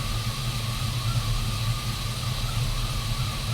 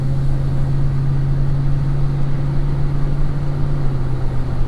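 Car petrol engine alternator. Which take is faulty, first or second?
first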